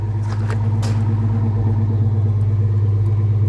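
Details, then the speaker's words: 1981 Ford Mustang notchback, 200 inline-six, warm engine kicked down to normal idle: steady, even low burble with smooth pulsing rhythm, no misses or knocks; idle still slightly higher than owner likes, will drop further when fully warm. "now that it's up to a temperature where I'm happy with it to be kicked down, watch what happens to the idle. Like, it's got a pretty good idle."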